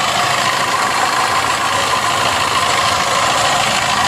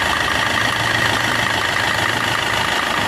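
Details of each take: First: Maruti Suzuki Swift Dzire at idle with a coolant leak: uneven rattling knock at roughly a hundred a minute under heavy hiss; abnormal engine noise attributed to a failing water pump. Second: Maruti Suzuki Swift Dzire after water pump replacement, drive belt refit and coolant refill, engine mount not yet fitted: smooth, even idle with a steady hum, no whine, rumble or knock; normal working sound, coolant leak at water pump gone.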